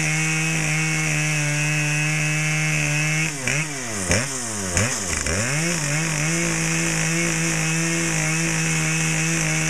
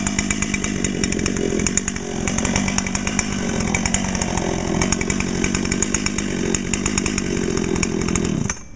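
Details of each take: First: Brand-new Dolmar PS-7910 chainsaw, full wrap, 28" Sugihara bar, LGX chain, factory carb settings, second start and a little warm, cutting wood: high steady buzz that dips and recovers cleanly as the chain bites; strong and healthy under load. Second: Dolmar PS-7910 chainsaw with 28-inch Sugihara bar and LGX full chain, new and breaking in; holds a high steady scream with a slightly burbly, uneven edge; owner suspects a little rich or hitting the limiter, wants to check with a tach.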